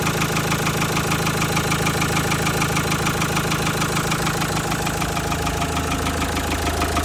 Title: Engine knocking noise sound like big end bearing worn /Injector fault